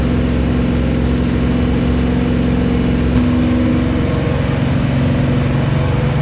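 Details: First start of the new Chevy 350 V8 in a 1974 Chevy Nova: a steady, even drone at a brisk fast idle with no knocks or misses while running in the cam. Normal fast idle. Oil squirting from the valve covers came from a missing PCV valve or breather.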